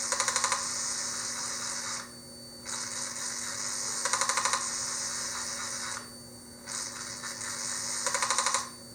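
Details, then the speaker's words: Yamaha XV1700 Road Star Warrior in diagnostic mode, code 54 linear control valve test, battery a little low: kill switch cycled, three short buzzing bursts of quick ticks about four seconds apart over faint hum; valve actuating normally. "So you turn the kill switch off then back on, and you will hear your linear control valve 3 times actuate."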